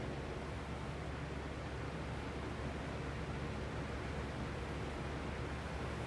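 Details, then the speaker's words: Lasko B20310 box fan with the weaker capacitor and slower startup, on medium and low: only a soft, even airy rush with a low steady hum and no rattle; dead quiet, though the fan visibly shakes. "This thing is dead silent. It's like really, really quiet. It's quiet on medium. It's quiet on low. I ain't never had one this quiet."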